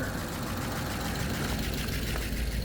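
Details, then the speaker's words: 2001 Audi A8 D2 quattro 3.7 L, first start after sitting about 9–11 years, with a new battery and the faulty, smoking alternator disconnected. It holds an even, low idle rumble with no misses or obvious knocking: normal idle. "And this morning decided to stick the battery that I got in and It's a runner."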